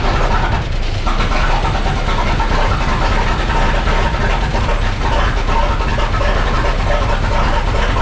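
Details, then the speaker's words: 1912 Seagrave, huge Wisconsin T-head engine, first run in years after condenser replacement, run briefly with no coolant: deep uneven chuffing rumble with light hiss, running steadily on its own; normal running. "because we have no coolant in this wonderful old thing we're not going to run it very long"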